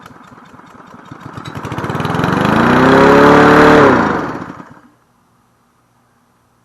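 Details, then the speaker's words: Cub Cadet SC300 HW mower (12ABB22J709) with auto choke, first run attempt: fires and climbs to a high, uncontrolled over-rev, then winds down and dies within seconds. The governor spring had come off. "spring came off this is dead it's not supposed to be there wait a minute he's not right on this okay what's going on here"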